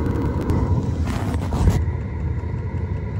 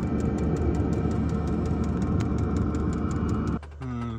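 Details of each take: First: Webasto engine preheater on a Ford Transit campervan in Arctic cold finally lights after long pump-clicking attempts, with coolant up to -4°C. It now runs at high speed with a steady, even fan and burner roar, no sputter. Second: Webasto engine preheater on a self-converted Ford Transit campervan at -34°C in Arctic Finland: its fuel pump ticks steadily, nearly four a second, over fan rush, but there is no ignition whoosh and it blows cold air. Owner suspects frozen or gelled diesel.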